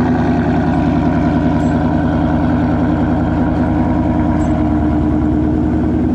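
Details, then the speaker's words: 2019 Ford Mustang GT V8 with active exhaust, first 15–20 seconds after start: loud idle with rapid, fairly regular clicking; owner suspects the exhaust baffles/valves, cause unknown, happens every start and quiet start fails. "I don't know what it's doing I don't I can't tell but it's very loud it's very audible and it just sounds like something's I don't know"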